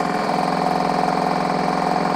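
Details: Titan Impact X 120 cordless backpack airless sprayer during cleanup, flushing the pump through the prime tube; fast, even pumping chatter at a constant pitch with no stumbles or knocks. Normal pump operation.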